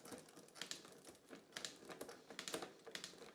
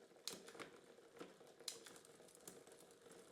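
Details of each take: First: Bike rear derailleur after repair and realignment, with quarter turns in for a big sprocket jump: crisp, quick clicks as the chain steps up and down the sprockets without chatter; clean gear shifting. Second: Bike with a Shimano Cues rear derailleur that had taken a knock, dry unoiled chain: irregular sharp clicks and rattles over a chain whir as the chain hunts between sprockets from wrong cable tension.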